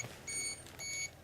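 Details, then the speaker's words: Gamma Scout dosimeter held above the contaminated-clothing floor of the Chernobyl hospital basement in 2013, reading about 600 µSv/h and then 1.6 mSv/h, sounds sharp evenly spaced triple beep bursts: overflow alarm at very high dose rate. "now i'm going to use the gamma scout you can see it's like 600 microsievert per hour but as i was just holding it above the floor a second ago you can see it adjusts the 1.6 millisievert power saying overflow"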